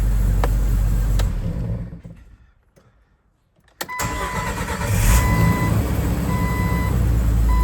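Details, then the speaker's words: 2000 Jeep Wrangler TJ starting right after a new starter was installed: brief crank after a quiet pause, catches quickly and settles into a steady, even idle; normal start, the replacement starter works. "There we go. She start it up. Like a champ."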